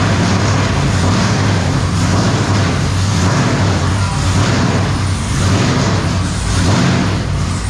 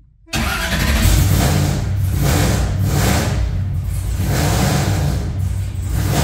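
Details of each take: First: V8: deep, even rumble with steady exhaust pulses and no stumbles; normal running on all eight cylinders. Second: Engine just fired up with ignition wires newly installed: loud, choppy, lumpy idle and rough revving as a whole bank drops out; misfire, owner suspects a wrong ignition wire.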